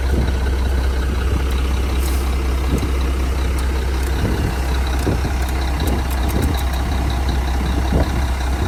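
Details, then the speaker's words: 1997 Mack RD600 diesel cement truck from auction, just started after charging dead batteries: deep steady diesel rumble with smooth regular firing, no knocks or stumbles; normal idle. "Look at that. It runs. That's crazy."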